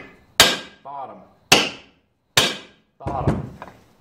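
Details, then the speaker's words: Stihl 028 Wood Boss chainsaw reassembly, crankcase bearing tapped in with a punch: three sharp, solid hammer taps with a clean ring and no hollow note. The bearing is fully seated. "she's all the way in there perfect oh yeah man she's all the way in"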